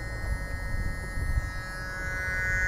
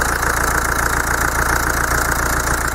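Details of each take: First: Diesel idle rumble with a faint steady electrical hum from the fuel solenoid valves, triggered when a faulty Bosch common-rail pressure sensor feeds 5 V on its signal pin, reading 1800 bar, a critical pressure. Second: Common-rail diesel with Bosch rail pressure sensor, engine idling, sensor reading about 1.2 V and roughly 305–307 bar rail pressure, system working properly: steady even diesel clatter with no stumbles; normal idle.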